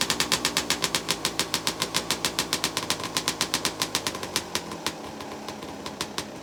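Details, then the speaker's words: 2003 Suzuki RM 250 two-stroke, stock, completely cold start on choke with throttle cable removed: sharp, crackly firing pulses about four per second at a fast, slightly uneven idle; normal cold start. "So choke on. Let's see if this bad boy will fire up first kick."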